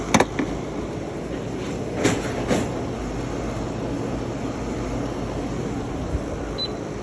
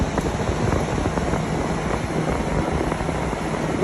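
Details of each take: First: PTAC unit brought in for loud noises: heavy, uneven rumble with occasional thumps as the broken blower wheel bounces, displaced from the motor shaft; blower wheel to be replaced. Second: Normal operation of a PTAC wall unit after replacing the broken evaporator blower wheel, which had been displaced from the motor and bouncing loudly: a steady, even whoosh of air with no rubbing, scraping or rattle; unit working perfectly fine.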